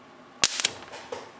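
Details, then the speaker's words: LCD TV LED-backlight power supply, touching a bad solder joint on the output filter: sharp crack then two small snaps as charged capacitors, probably about 24 V, dump into fully discharged ones, practically a short; capacitor discharge spark. "entonces yo al hacer contacto acá lo que hacía era estos capacitor que ya estaban cargados que probablemente tendrían 24 volts directamente conectarlos con nosotros capacitores que estaban totalmente descargados prácticamente un corto no"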